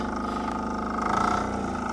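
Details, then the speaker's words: Polaris Diesel 455 4x4 ATV, single-cylinder diesel, warmed up: steady, rapid, even clatter at idle that never changes pace; the constant knocking sound is normal for this engine. "These things are, it's a single cylinder diesel, so it doesn't have a nice idle to it, or sound. It's a little noisy. Kind of sounds like she's knocking all the time"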